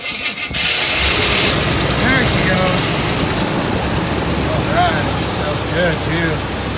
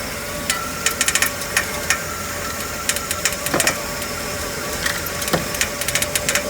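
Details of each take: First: Cold auction car started on a half-dead NOCO jump pack after the starter struggled: catches and settles into a fairly even idle, then dies untouched; it runs, just cold; normal engine start. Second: Running vehicle at auction: irregular sharp ticks and uneven beat; engine misfiring a bit, source of the noise unknown.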